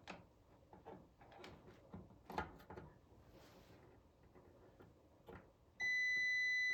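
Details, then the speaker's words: Multimeter beep test on Supersonic pinball lamp driver transistor Q38 (7K bonus lamp): after a few probing clicks, a steady unbroken high beep; shorted transistor, Q38 and Q50 to be replaced and rechecked with the plugs removed. "Q38 is bad. So, we need to replace Q38 and Q50."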